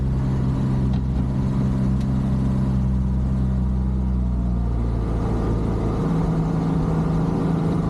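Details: Renault R8 proto road test after replacing the gearbox with a cleaned-up box fitted with new parts: engine pulls steadily, revs drop cleanly at the shift, no grinding or clunk; gearbox shifting normally.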